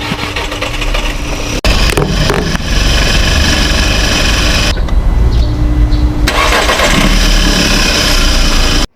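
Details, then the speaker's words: Volkswagen Vento, crank no start, oil found low and topped up, engine already knocking, air cleaner opened: cranks, cuts out briefly, then catches and runs with loud uneven note; hard starting, cause not confirmed, still under observation. "after kong isalin yung langis eh sinubukan ko na ulit i-start naku po ayaw na naman niyang umandar kaya ang ginawa ko is Binuksan ko ulit yung air cleaner"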